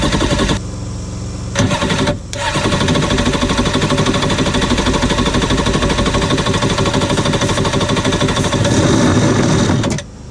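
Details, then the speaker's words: Cheap used Yamaha WaveRunner two-stroke on new mixed gas, after the fuel valve was switched from off to on: brief crank, then a crisp, busy idle holds fairly steady before cutting off; engine runs normally. "you know what she runs all right"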